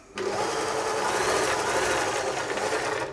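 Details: German-made Singer 631G/611G sewing machine after a full service and foot controller repair, sewing after the top tension was increased: a steady, even whirring stitch rhythm with no knocks or grinding.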